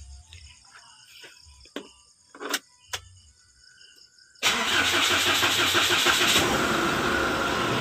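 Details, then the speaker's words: Mitsubishi Strada Triton diesel with a failed, oil-leaking timing auto tensioner: cranks, catches and settles into a steady, fairly smooth idle with no irregular kratak-kratak rattle from the timing end. "oke untuk suaranya dah lumayan halus ya teman-teman ya"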